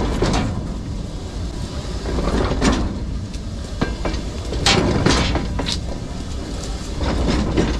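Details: Freight railway wagon wheelset with flats and built-up tread metal: heavy uneven thuds repeat over rolling rail noise.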